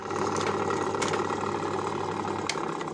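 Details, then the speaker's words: Simaru buttonhole sewing machine after a jammed linkage was freed: fast chattering run with a harsh knock as it comes to a stop. Rough stop cycle, cause unconfirmed, possibly a fibre caught in the mechanism. "cuman ini bunyi ketik ke mau stop to juga kasar ya"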